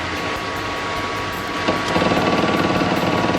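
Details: 1966 Ford Mustang fed by a temporary click-clack electric pump drawing from a fuel can straight into the carburetor; even idle with quick, regular pump ticking over it, oil pressure up, running normally.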